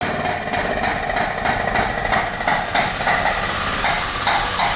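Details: Carbureted Mitsubishi with loud knocking, backfiring into the carburetor and power loss; sharp metallic tapping about four per second over busy engine clatter, found to be a worn exhaust cam lobe and rocker arm.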